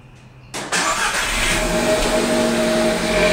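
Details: VW Golf 6 1.4 TSI 122 hp, first cold start after the night: catches quickly, then loud even exhaust rumble with audible turbo whistle during 20–30 second catalytic converter heating phase; normal cold start catalyst heating.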